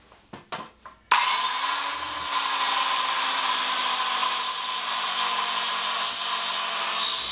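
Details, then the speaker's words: Craftsman 7-inch electric hand saw model 315.27802, with the plywood blade it came with, cutting oak: steady rasping, labouring motor hum, slow scrubbing cut pointing to dull blade teeth; cut judged not too bad. "not too bad that's a plywood blade though that's what came on the saw and it was easiest to get"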